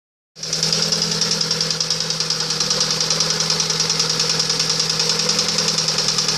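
Steady sharp knocking at idle, a bit over three a second and very even, riding above a smooth hum; the source needs tracing.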